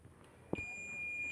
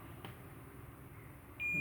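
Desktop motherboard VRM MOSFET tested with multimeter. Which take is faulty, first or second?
second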